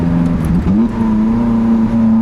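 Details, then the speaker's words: Lotus Elise in sport mode on a cold mountain drive: revs dip and stumble when throttle is opened, then climb slowly to a steady pitch; driver suspects weird throttle behavior, cause unclear. "What is that lag? Can you hear that? Maybe turn the car off and on again might help."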